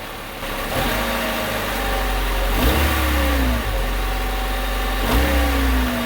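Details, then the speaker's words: 2000 Honda Civic after a gear clamp was tightened around the loose, rusted exhaust heat shield. Clean revs from idle with pitch rising and falling smoothly and no rattle returning: normal revving. "all right so right now it doesn't sound like there's any rattle what I'm going to do is I'm going to rev the engine and we'll see if you notice the rattle come"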